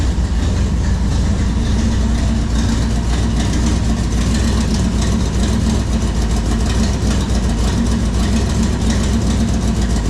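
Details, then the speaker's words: Ontario dirt-track Thunder Stock race car, full-frame, V8 with brand-new dual exhaust routed down both sides and crossed over: loud lumpy idle with fast ragged ticking on exhaust pulses from a header leak; carburetor also needs tuning. "Yes, we got a header leak. You could hear it. And the carburetor needs tuning."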